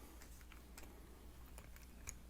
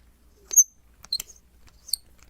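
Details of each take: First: Threaded mount turning with soft scattered ticks and light clicks; after applying Super Lube grease to the threads, the squeak is totally eliminated. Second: FiFine Ampligame USB microphone: three short, high, chirpy squeaks as the brass thread turns in the plastic mount when attaching, caused by dry threads; fix suggested is Super Lube synthetic grease.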